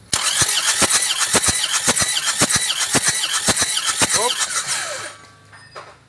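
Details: Isuzu Panther Touring diesel that died after running out of coolant on the toll road, cranking without firing during compression test before rebuild; about two even beats a second; low compression, cylinders 2 and 3 about 3 bar, only number four good, scoring found.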